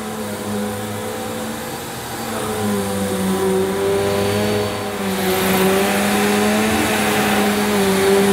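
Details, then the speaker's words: Electrolux Cyclonic Lite bagless upright vacuum (circa 2005, new in box) on its shortest setting, pushed over dirty carpet: a steady motor hum with a clear brushroll whirr; it runs normally. Owner thinks the cyclonic unit was not seated properly during an earlier, quieter run. "well that sounded a bit different didn't it I could certainly hear the brush this time"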